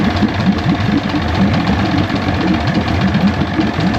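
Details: 1973 Johnson 65hp (65ELS73R) two-stroke outboard idling after years of sitting, once a bad solenoid was dealt with: choppy, uneven low burble and rough firing but running steadily on its own, smoking.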